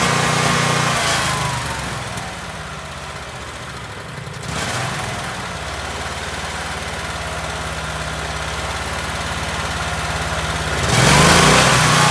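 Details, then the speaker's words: Generac Guardian Ultra Source 15000 W standby generator running after oil and filter change (Royal Purple 5W-30 full synthetic, Fram PH4967 filter, about 1.6 quarts): even beat of about three or four pulses a second, firming up smoothly; normal running. "So now what we have left is we just gotta fire it up and make sure everything's running fine. So when we need it, it's ready to go."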